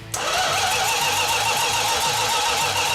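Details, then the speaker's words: 1969½ Dodge Super Bee, numbers-matching 440 Six Pack, 4-speed, remote fuel tank: even quick cranking with no firing despite spark; fuel leaking from mismatched fuel line sizes and at the carburetors. "at one point i was getting a little concerned because it was not firing at all it's like why is it not firing"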